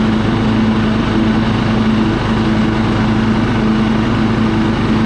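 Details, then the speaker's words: Husqvarna LT1538 riding mower, Kohler CV15 single-cylinder with manual PTO, that had been quitting while mowing; now warmed up and idled down it holds a steady, even beat with no surging, running smoothly despite a dead battery. "see little idle down runs good and [Applause] smooth I was mowing a little bit back here with it I think we'll be okay"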